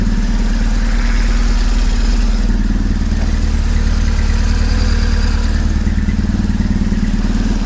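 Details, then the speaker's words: High-mileage BMW 1150GS with used engine; even, steady boxer idle with clean throttle blips, no knocks or rattles, engine runs well. "listen there's nothing wrong with the engine the engine sounds good it idles brilliantly"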